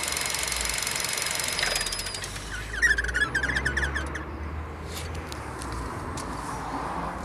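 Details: Vauxhall Astra 1.4 turbo petrol idling: high, wavering squeal chirping on and off over a low hum; engine squeal at idle, owner suspects a pulley problem.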